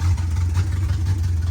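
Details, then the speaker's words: 1986 Chevrolet Camaro Berlinetta with open headers, left sitting, just after a hard start. Loud, rough idle with an uneven loping pulse and occasional dips. The owner suspects a loose timing chain jumping timing and plans a new distributor and timing chain. "but like I was saying uh it's not exactly running how it should you can hear it doesn't sound the [Music] greatest"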